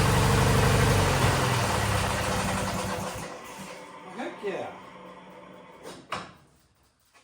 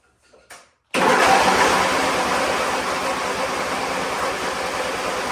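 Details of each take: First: Wheel Horse GT-1600 WorkHorse garden tractor, Briggs engine, weathered, restarted: steady, even beat for about three seconds, then shuts down cleanly; runs fine. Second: Weather-worn Wheel Horse GT-1600 WorkHorse garden tractor, Briggs engine, remote fuel tank, on choke: even rapid chugging crank that never fires; owner doubts spark, suspects fuel not flowing; cranks but won't start.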